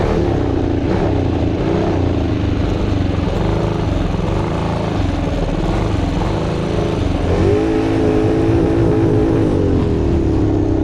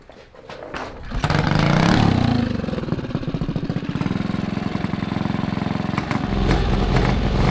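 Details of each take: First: Monster Moto mini bike with 228cc Tillotson racing engine (about 23 hp) and torque converter: loud single-cylinder holding mid-range revs with ragged stumbling beat; breaking up at mid RPM, fuel flow believed good. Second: 228cc Tillotson stroker racing engine (about 23–24 hp) on a Monster Moto mini bike, running on the small test carburetor; coil possibly already burned. It catches after a second and settles into an even, steady beat with no stumbling or breaking up. Normal running.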